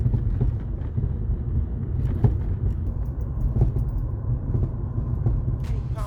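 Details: VW Golf (lowered), all bushings replaced, suspension checked OK; dull irregular knocks from the rear over road rumble while driving, began after snow and hard frost; owner suspects frozen snow, poor-quality bushings or worn struts, unconfirmed.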